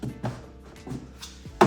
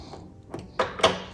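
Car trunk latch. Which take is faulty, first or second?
second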